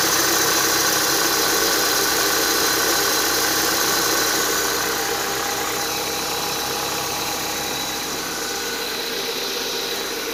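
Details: Renault Duster at idle: steady high-pitched whistle holding pitch, easing slightly in volume; accessory drive belt whistle that appeared after 52,000 km and remained after the upper idler was replaced; lower idler and belt not changed.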